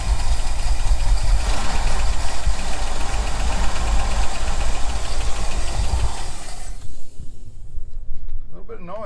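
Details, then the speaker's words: 1975 Ford F-350, ex-Seattle Fire Department, not run in about 20 years, just fired on fuel poured into the float bowl: rough running with a light quick tick, suspected valvetrain noise from long storage, then dies. "yeah here's some like valve frame noise huh"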